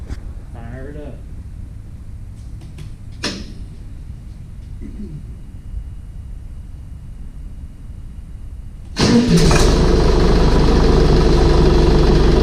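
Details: Air-cooled Deutz diesel after head gaskets, head bolt torquing, new fuel pump (possible leak at fitting unresolved), glow plugs used: quiet until it catches, then steady even diesel clatter, no misses or knocks; starts normally.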